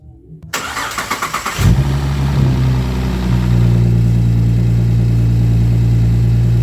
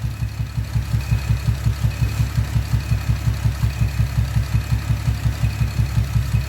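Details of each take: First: Camaro V8 with loud exhaust, cold start after moving the new coil to cylinder 1 and clearing codes: cranks briefly, fires, flares, settles into a steady even deep idle, previous 99-count misfires gone, only negligible single counts. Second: Camaro with loud exhaust at idle, misfire: lumpy, regular low thump about every third of a second; disconnecting the rear bank left idle unchanged, so the front bank (cylinders 1, 3, 5) is suspected; coils being swapped to move the misfire.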